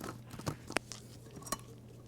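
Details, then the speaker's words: Removed wheel bearing pressed down hard and rotated by hand, microphone close: irregular dry crunchy grinding and clicks, very notchy, a rough, worn race; the inside bearing turns smoothly by comparison. "now i'm going to try to get the microphone in there real close and see if you can hear this noise because you can't feel it in the video but maybe you can hear it you hear that crunchy crunchy grinding noise"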